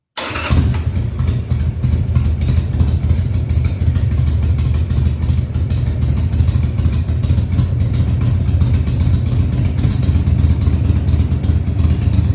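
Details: 2000 Harley-Davidson Sportster 1200 Custom, first start after six years sitting: fires quickly then settles into a fast, even V-twin lope with steady loud exhaust pulses and no misses at high idle; oil tank then checked full.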